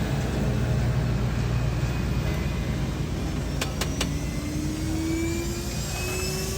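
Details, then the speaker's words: Niftylift hydrogen fuel cell test run, gas open, battery about 33 V with booster pack: steady low rumble, faint whine rising midway as air blower spools up; started normally, voltage dipped then began charging. "hey it started okay so that's running at the moment"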